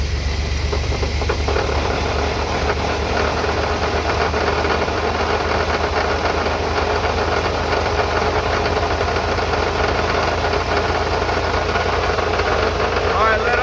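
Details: Shaved GM 14-bolt rear axle, after a transfer case rebuild and driveshaft rebalance, in gear with light throttle and lift-off: a continuous coarse grinding rasp over the engine, believed to come from the axle/differential.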